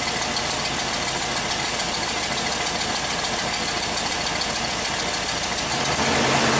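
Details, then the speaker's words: 2005 Chevrolet Express 3500 6.0 V8 box van after restoring 12 V to crank sensor wire, crank/no-start fixed: uneven stumbling lumpy idle with hiss; misfire at idle, cylinders 6 and 8 worst. "let's see ah sweet baby sounds like it's skipping like crazy here yeah we wanted data definitely sounds like got a pretty"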